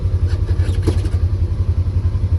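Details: Polaris Ranger 900XP side-by-side after repair, starting right up and being driven. Quick, even low thumping with no misses or clatter; it sounds much better and runs healthy, with coolant temperature being watched.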